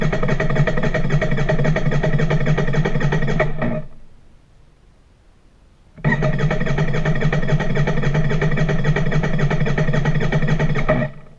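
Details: Royal Enfield Interceptor INT 650 gives two bursts of even starter cranking at about four turns a second, with silence between and no catch; it cranks but won't start.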